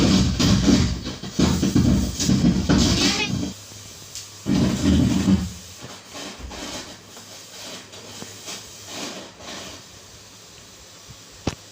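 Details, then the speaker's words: Class A amplifier with output transformers, tested on series board while raising volume: rough crackly scratchy distorted bursts from the speaker; the volume, bass and treble controls suspected. "ठीक है दोस्तों आपने इसमें problem देख ली होगी तो दोस्तों जैसे की हम इसकी आवाज़ या तेज कर रहे हैं इसमें बस यहीं सी आवाज़ हो रही है यानी की जर्जर सी आवाज़ जो हो रही थी इसमें वही ए रही है"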